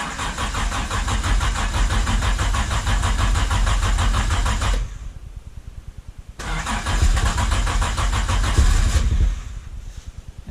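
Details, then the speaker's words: Jaguar E-Type Series 1 2+2, unstarted for about two weeks, started using the choke in neutral: it catches, runs roughly, dies, then fires on the second try. Starting gets harder the longer it sits. "so that's my car i mean it didn't start right up now if we came out tomorrow boom it started right up it just seems to be the longer you go the worse it is"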